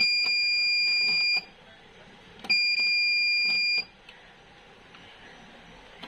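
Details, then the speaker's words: V-Guard Big Jadoo 1050 inverter hums, then goes into overload: two long steady high beeps of about 1.3 s each, a second apart. Gate voltage drops out, so the gate driver IC is faulty and is being replaced. "तो gate में problem सबसे पहले हम लोग इसका जो gate आसी है उसको बदल लेते हैं"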